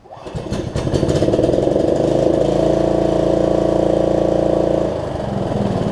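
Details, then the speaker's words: Snapper rear-engine rider, test run after a new deck belt and throttle cable repair, choke not yet fixed: starts and settles into a fast thump that wavers in tone; owner thinks the carb has some gunk in it. "um and what else throttle's working carb sounds like it's got a little bit of gunk in it"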